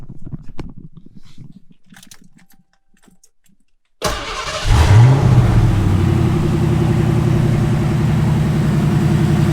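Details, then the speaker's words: Ford 5.0 V8 swapped into Foxbody Mustang, after injector swap, stock H-pipe and no cat-back: cranks, catches, flares briefly, then settles into smooth even low rumble with no misfire or ticking; normal idle. "so there we are she purrs like a kitten that's with a stock h pipe on there's no cat back yet"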